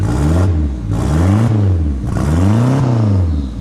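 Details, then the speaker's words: Merkur ("CosWorthless") project car with smart coils, after the ignition trigger was advanced 180° to correct timing one cylinder behind: it fires up and runs cleanly, taking three quick blips with no misfire or stumble. "Sounds right to me. That sounds correct. We're on, boys. We're on. She fired up."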